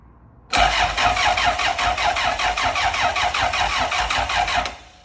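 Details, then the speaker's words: Car on axle stands for a first test start, cold garage, fuel gauge about half, no fuel pump priming heard: the starter turns the engine steadily about 2.5 pulses a second for four seconds with no firing; crank, no start. Fuel delivery suspected. "So we got to crank it over. There's no oil leaks, there's no fuel leaks. I did crank it over, but I cannot hear a fuel pump."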